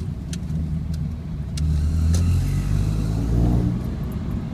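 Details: 2001 Honda Civic ES, manual, about 128,000 km, new timing belt, tensioner bearing, water pump and accessory belts: low rumble with an uneven knock about four beats a second at 2,000 rpm or lower, gone at higher speed; source unidentified.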